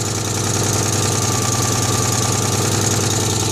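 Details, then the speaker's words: Citroën 2CV air-cooled twin at idle after revival, fan refitted: loose raspy idle with sharp puffing chuff each pulse, about three per second; exhaust leak suspected, traced with a pipe to a blowing exhaust clamp. "Sounds like an exhaust leak to me though, so I'm going to try and trace it with this bit of pipe."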